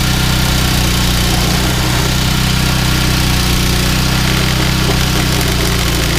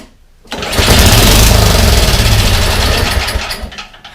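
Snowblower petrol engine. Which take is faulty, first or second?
second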